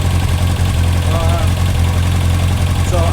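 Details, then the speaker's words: Four-cylinder carbureted project motorcycle after carb synchronization fixed carb #3 closed at idle; steady, even low hum at idle with no misses or stumbles, all cylinders firing evenly, a smooth, well-balanced idle. Clutch still slipping. "put it back together after doing the synchronization on the carbs and listen to this bike is running so smooth"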